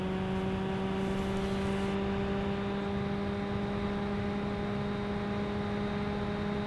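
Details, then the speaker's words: Nvidia RTX 4090 Founders Edition graphics card, rear fan at 45% fan speed or above: constant droning hum with a clear steady tone over the airflow rush; bearing problem suspected. "the other fan in the back seems to have a problem on the bearing at least that's what I would assume because if you set this card to 45% fan speed or above it's putting out a very strange noise"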